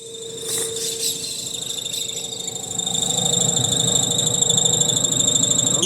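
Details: Electrolux LTC 10 washer with refurbished transmission, lid open and run direct: shrill whine climbs as the drum spins up, then holds high over a faint hum; apparently not the seal, noise seems inside, source undetermined.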